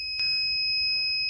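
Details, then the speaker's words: Microtek inverter showing overload: steady high-pitched continuous beep with nothing behind it; the overload warning, traced to a blown fuse at the rear, after checking for short circuits or excess load. "यहां पे यह overload यहां पे इस तरीके से beep sound आ रही है इसे आप कैसे बंद कर सकते हैं घर बैठे"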